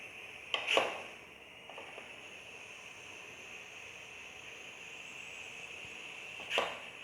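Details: Pressure cooker on reheated flame, temperature sensor fitted through the lid: steady high-pitched hiss with sharp clicks as excess trapped steam starts leaking past the improvised seal around the sensor, temperature climbing past 98 to 102 degrees.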